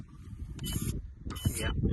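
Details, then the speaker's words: FMS LC80 RC crawler with a front diff locker, in two-speed: gears whir and grind in short bursts, with a lag before first gear engages. The left shift servo moves slightly; the cause is not confirmed. "You hear it like sort of delayed to engage. That's first gear."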